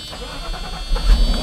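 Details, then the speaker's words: Mercedes R129 500SL after starter replacement: short crank, then the engine fires and its low rumble swells smoothly into a run; clean start, normal engine start. "Let's see if it starts. Ah, perfect. Starts right up."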